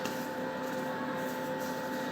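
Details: Kyocera copier/printer after clearing a paper jam, reassembling and powering on; smooth steady hum with a couple of constant tones from the fuser motor, no grinding or clicking; warms up normally to ready-to-copy.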